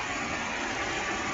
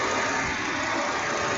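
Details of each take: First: 2007 Volvo XC70 Cross Country, about 331,231 miles: smooth, even idle hum with no ticks, knocks or misses; engine idling normally. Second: Volvo XC70 Cross Country with 331,231 miles at idle: constant rushing whir of the radiator fan that never cycles off, engine otherwise sounding good and not overheating; owner suspects a bad thermostat sensor, cause not confirmed.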